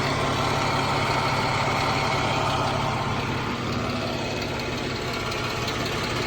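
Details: 2014 Jeep Wrangler 3.6 Pentastar at even idle with a light, steady tick of about three per second; owner asks whether it is rocker arm or valve tick, valve train suspected, cause unconfirmed.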